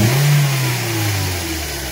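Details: Toyota Corolla E15 with 240,000 km, after replacing the faulty timing chain tensioner: engine blips up and settles smoothly with an even note and no rattle or tapping from the timing chain area; the noise is gone.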